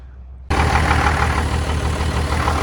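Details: 1989-93 first-gen Cummins diesel started after the fuel shutoff solenoid was replaced; it catches and settles into a deep, slightly uneven, pulsing idle; owner suspects air still in the fuel lines; rough idle.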